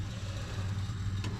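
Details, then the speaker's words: Restored 1926 Ford Model T two-door sedan, engine not running, ignition switched to battery; steady low buzz of the ignition coil energised, which is normal. "Turn it to battery. You can hear that buzzing. >> Uh-huh. >> That's the coil."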